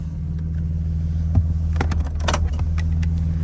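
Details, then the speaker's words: Warm BMW E46 petrol engine idles with a low rumble that stumbles unevenly, hesitating and misfiring with a recurring camshaft position sensor code (P0340) despite a new sensor and added oil; it ran better briefly after the oil top-up. "And it ran 10 times better a minute ago when I put more oil in it. But clearly it's not running right."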